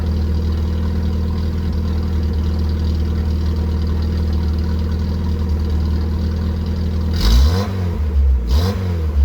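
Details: 1981 VW Rabbit with 1.8 swap, after installing 4-2-1 dual downpipe and thrush muffler to fix suspected front manifold leak; deep steady idle drone, then two quick blips rising and falling cleanly, no puffing or ticking: normal exhaust note.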